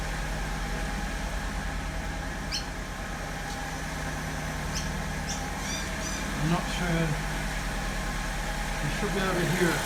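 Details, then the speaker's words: 2002 Alfa Romeo 147 2.0 Twin Spark misfiring at idle and on acceleration; uneven idle that stumbles and misses every few beats; an earlier miss was a burnt coil. "This is my Alpha 147 2002 2-litre twin spark. I have a miss on idle and accelerating."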